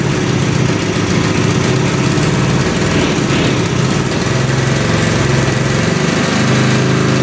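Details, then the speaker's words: 1971 Suzuki T500 500cc two-stroke, rebuilt and then unused for about 22 years: it fires and runs rough, stumbling at a lumpy idle. The left carburetor float is suspected stuck, pouring gas down the cylinder; the right carburetor seems fine. "She runs, but she's dripping a ton of gas out of the carb. There's no offsetting on the carb, so as that pump was running, it was just spitting gas directly down the cylinder."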